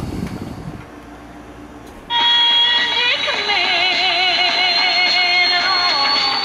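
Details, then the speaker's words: 1948 Motorola 5A7A portable tube radio on its selenium rectifier supply: fuzzy reception with wavering squeals and hiss, clearer when on wall power or isolation transformer; a weak selenium rectifier is suspected. "All right, I don't want to get a copyright strike, but you can hear quite a bit of more fuzz than in the reception the first time I had it plugged into the wall,"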